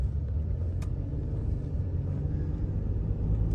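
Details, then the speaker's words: 2018 lifted Ford 3.5 EcoBoost truck driving and turning after rattle fixes: even low rumble with occasional turbo whoosh, no rattles or knocks; healthy. "not a sound out of the ordinary at all I love the turbo sound ever so often you can hear the uh the whoosh of the turbo"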